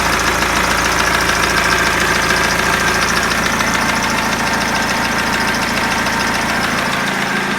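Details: BMW E46 320d diesel idling with a steady knock about 3.5 per second over the clatter; timing chain already replaced, which helped a little; owner asks whether crankshaft, rod bearing or hydraulic lifter.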